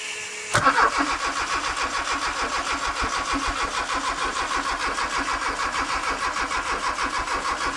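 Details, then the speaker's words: Honda K24 sandrail swap with new harness and ECU, cranking on jumper wires: starter turns about three compressions a second, fuel pressure present, but no spark, so it cranks without starting. "no spark. We're not quite there yet."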